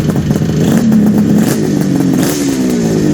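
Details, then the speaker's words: 1974 Kawasaki H2 750 two-stroke triple, Fast by Gast built, on first start after 34 years: crisp ringing buzz with slight rise and fall in pitch, firing evenly with no misses; normal running. "Okay. Great. That was awesome. Move the light. like a kitten. Moves like a kitten."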